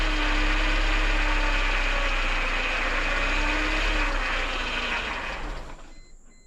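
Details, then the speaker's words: 1998 Mercedes C230 (W202) revived after sitting since 2018, running with the MAP sensor unplugged: a steady, fairly fast drone that never settles down to a low idle. The idle is stuck high. "it's running it just doesn't want to idle down too good"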